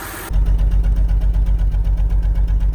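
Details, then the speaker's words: BMW 3 Series E92 six-cylinder with multiple misfires (code P0300, random multiple-cylinder misfire) shaking at idle: a rough, lumpy, stuttering rumble that sags and surges about six times a second. "The car is shaking a lot and it has this stuttering noise to it too."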